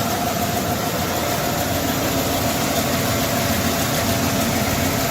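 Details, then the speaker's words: 1992 Ford F-150 4x4 302 V8, sat 10 years, old gas drained and fresh fuel added, old plugs and wires: steady idle with uneven stumbling, loping beat; rough idle, cause unconfirmed. "Runs a little rough. [Music] Not bad for sitting for 10"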